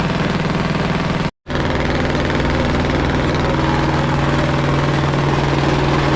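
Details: Caterpillar D8 2U crawler main diesel, first start in its revival after the pony motor was sorted; strong, even beat at about four pulses a second with a steady low drum, no knocking. The motor sounds fantastic. Normal diesel running.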